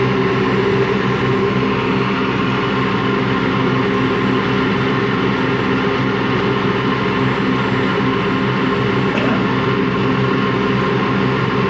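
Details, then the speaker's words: Washing machine run empty on rinse and spin: constant low rumbling growl with steady hum, never picking up speed; drum not loose, owner suspects worn motor or drum bearings, unconfirmed. "Yeah, that sounds like bad bearings. Only that the drum, the bearing is not that bad, so the drum is not loose or anything, but it just makes that growling noise."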